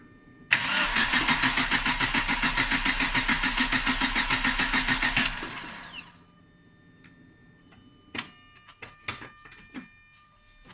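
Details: Chevrolet Lacetti, cold, won't start on petrol despite spark and fuel reaching the rail: starter spins evenly about five seconds without firing; crank no start, gauge shows pressure only around 1.5–2 atm then dropping, fuel pump replaced.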